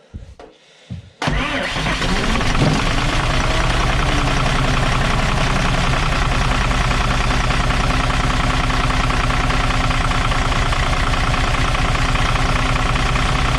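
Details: Dart bus diesel after running out of fuel, started once the bled fuel unions were retightened against air: starter catches quickly and it settles into a steady, even idle clatter with no stumbling or misfire.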